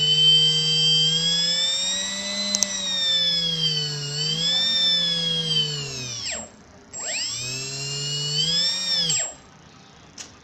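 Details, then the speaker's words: Small 1250 kV brushless motor on a HobbyKing 30A ESC gives a clean, high whine rising and falling with throttle and no grinding; the same motor ground on a DYS BLHeli 40A ESC, suspected desynchronization. "And now the same motor is connected to the Hobby King 30 amps ESC. It doesn't give that grinding noise."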